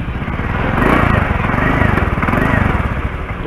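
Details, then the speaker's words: Honda Spacy FI scooter idling with a sharp, rapid puffing chuff on each firing pulse from a leaking exhaust, recorded before repair. "nah ini motor yang saya gunakan ini bunyinya nih kalau knalpot bocor begitu"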